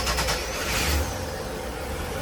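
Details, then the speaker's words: Sea Ray 320 Sundancer port-side 350 Mercury MAG engine, cranked from the helm after the system shut down under way: brief even cranking that catches quickly and runs smoothly. The starboard engine wouldn't start because of a faulty fuel pump mini fuse. Normal cranking and start. "and you see the port side engine cranked over no problem"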